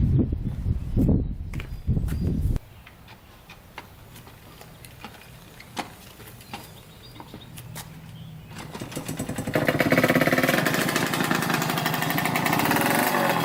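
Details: 1986 Yamaha YSR 50 two-stroke, first run after purchase: crisp buzz climbing freely to high revs and holding, crackly but even, no misfire or bog; runs and revs out well.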